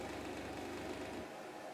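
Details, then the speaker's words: Atari 800 XL 8-bit computer revived after decades in a cellar, short 5V-GND fixed and all RAM chips replaced: dense fast rattling buzz about a second at power-on as bus devices like the floppy are polled, normal boot noise. "man hört am anfang dieses dieses scheppernde geräusch und wenn der atari die geräte die uns im bus angeschlossen sind wenn diese abgefragt werden ob die floppy da ist"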